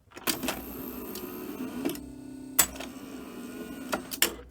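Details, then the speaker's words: Philips N1702 VCR after a cassette stopped near its end: steady low head-drum motor tone drops in pitch as the mechanism clicks through lacing; drum losing speed, suspected slipping belt. "and I don't know whether you could quite make out the Head drum sound but as it goes to lace you can hear the tone of the drum drop"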